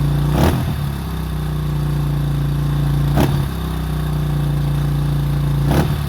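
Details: 2005 Honda CRF150F after valve adjustment and carburetor tune-up fixing a no-start and high idle: small single idles evenly with three quick throttle blips rising and falling cleanly; running healthy.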